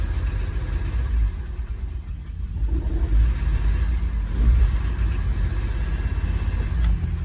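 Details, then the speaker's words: 2013 Kia Sorento 2.4 at full throttle, pedal to the floor: engine only drones low and muffled, never revving freely; plugged catalytic converter choking the exhaust. Engine also burning oil, with a cylinder 3 misfire code. "so it's got a plugged cat that's my pedal all the way to the floor"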